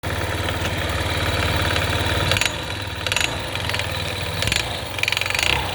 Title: стук мотора на Ямаха Гир